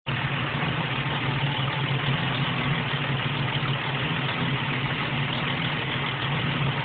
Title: Vacuum leak/terrible noisy idle coming from Windstar Upper Intake